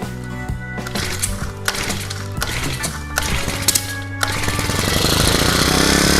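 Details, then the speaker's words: Honda GX35 four-stroke brushcutter engine after carburetor cleaning and new fuel lines, running an aftermarket carburetor: rattles unevenly, speed hunting then surging; aftermarket carburetor is unstable, so it is replaced with a genuine Honda carb. "这颗化油器的话呢，可能还是必须要换掉了哈。这个副厂的稳定度，依照我们长期这样测试下来，它的稳定度还是没有这么高，稳定性没有这么高。"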